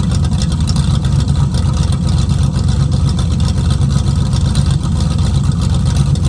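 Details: 1969 Mustang V8 that sat 15 years, rough running: loud deep rumble, uneven lumpy beat about four pulses a second; rusted mufflers with holes add loudness, vacuum advance just reconnected, running rich, not yet hot; owner suspects plugs and plug wires.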